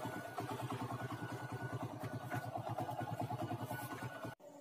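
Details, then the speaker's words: Honda Grand/Legenda motorcycle at idle after replacing the worn, slack cam chain that caused a rattling noise; an even putter at about three beats a second with no top-end rattle or chatter, now idling normally. "nah guys ini sudah dipasangkan sekarang mah gak terlalu bunyi ya guys gak terlalu berisik atau gak terlalu elektrik ya guys"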